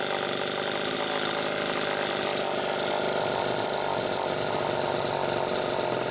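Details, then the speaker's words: Super EZ chainsaw run after a fuel tank mounting repair, muffler cap slightly loose: steady, even high-pitched buzz with no stumbling or surging; normal running. "okay well brian that makes me feel a hell of a lot better quite frankly just to hear it run and i didn't have to get into the car which makes me feel great honestly"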